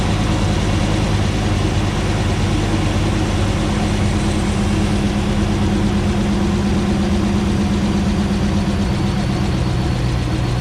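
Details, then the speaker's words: 2009 Ram 1500 Hemi V8 first start after engine rebuild, about 80 psi fuel pressure at idle: loud low idle with slightly lumpy beat, a stumble from misfire; owner hopes it clears as the long-unplugged ECU relearns. "looks like we may have a little bit of a stumble she's shaking a little bit but that may just take time for that to kind of work itself out"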